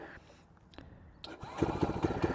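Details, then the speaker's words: ZS212 4-valve engine in a 2025 Boom Vader BD125-10 Grom clone, after swap to Nibbi PE28 carb, about 50°F: quiet crank ends in a sharp pop with a visible puff, then a fast, choppy putter; backfire on startup. "Well, that was weird. I saw a little poof come out down here. Why'd we poof?"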